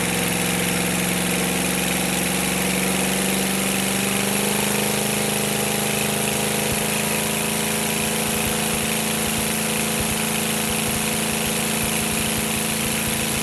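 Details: Navistar/GEP 6.5 diesel with Stanadyne DB2831-4911 injection pump and new injectors, run without exhaust manifolds; oil pressure about 34 psi, warming from about 124°F; steady even diesel clatter at idle, no knocks or misses; normal idle.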